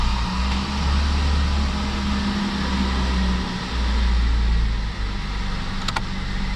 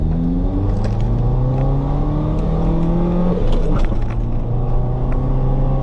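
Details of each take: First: Mazda B-Series (Ford system) after cylinder head temperature sensor replacement and code erase: engine fires and settles into an even, steady idle with no miss or stumble; runs normally. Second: Mazda B2300 work truck on test drive after cylinder head temperature sensor replacement: low droning engine strains under load, revs climb slowly; pulls a little harder than before and code stays off, but still sluggish acceleration, cause unclear.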